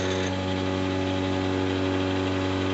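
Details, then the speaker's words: Treadmill motor mounted on antique bench drill press, shimmed with emery cloth and set screws, slightly out of alignment, running at 6,400 RPM: constant high-speed hum at steady pitch, no knocking or grinding; normal motor running. "I'll turn it on for y'all and let you see. It's a little out, but that's 6,400 RPM right there."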